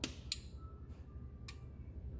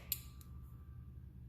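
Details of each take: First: 2001 Chevy Silverado 2500HD transfer case control module on bench breakout box: single sharp click at power-on, then a softer click as it drops out; normal relay cycling. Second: 2001 Chevy Silverado 2500HD transfer case control module (TCCM) bench-tested with a breakout box: sharp relay click, then a low steady hum with no release. Relay stuck closed, pin A stays at 12 V instead of 5 V; bad module.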